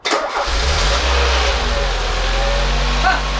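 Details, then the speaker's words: Peugeot 205 1.6 GTI finally starting: it catches straight away and runs a relatively healthy, steady low idle, then cuts out after a few seconds for an unknown reason. Engine starts then stalls. "okay i'm not quite sure why it's cutting out after a few seconds but that sounded relatively healthy"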